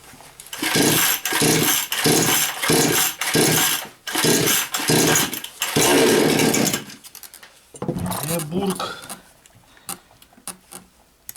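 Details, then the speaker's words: Chinese 45–52cc chainsaw (Green Garden-type, 4500/5200, piston 52) after prior repair with new coil: starts, runs, then chokes/bogs at revs in uneven bursts; carb adjustment doesn't help; air leak. "заводиться робить робить робить робить нормально потом починає душиться на оборотах не хочеш крутиш карбюратора нічого не дає із травою вже вона не хоче робити"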